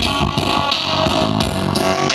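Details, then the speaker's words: Monster 210 active speaker playing music over Bluetooth before repair: rough, crackly, fuzzy sound on every beat, not clear. "Dan ini sudah ada musiknya, suaranya tidak jernih sama sekali teman-teman ya. Nah seperti itu teman-teman ya, suaranya krek-krek seperti itu ya."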